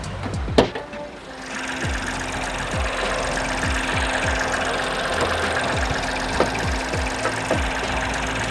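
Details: Ford Fiesta Sport at an auction inspection, idling rough under the hood; uneven idle with loose, irregular clicks and rattles; an engine mount doing nothing lets that whole side of the engine shake; coil pack screws loose.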